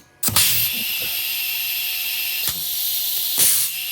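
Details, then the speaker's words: Rebuilt Checkpoint 1250 chemical injection barrel pump run on air/gas after teardown and reassembly: sharp exhaust bursts at irregular intervals over steady hiss, clean strokes, no clatter; pump cycling properly. "All right, that's what I wanted to hear."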